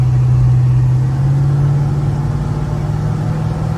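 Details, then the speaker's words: 1937 Ford coupe street rod, 302 V8, automatic, accelerating: steady low drone, shifting fine, no misfires, spits or driveline clunks. "as you can hear the engine is Shifting fine there are no misfires no spits no clunks and transmission"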